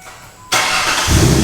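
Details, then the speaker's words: Ford Sport Trac 4.0 with 246,000 miles, usually on 5W-30 and prone to timing chain rattle, started on thicker 10W-40 oil: smooth even idle, quietest yet, no chain rattle, just a faint light tick, possibly an injector. "so wow okay first impressions that is the quietest that thing is idle on the engine side since i got it"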